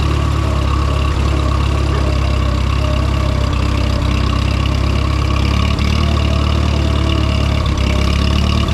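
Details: Minneapolis-Moline M5 tractor, started cold on a 25-degree morning with thick hydraulic oil; low steady idle, even beat, no knocks or misses, running smoothly after warming; oil pressure good, charging; healthy.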